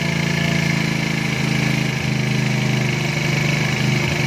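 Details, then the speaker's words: 110cc engine after carburetor setting, screw opened to 2.5: even low putter at steady idle, no hunting or misses; small single holds idle nicely. "Dah maintain kan. Ni aku buka sampai 2.5 je. Dah maintain."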